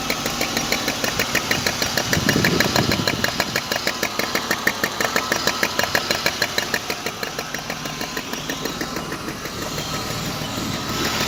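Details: BMW E34 520i idling: sharp, even knocking at about three a second, loud and clear throughout; engine knock, source not yet pinned down.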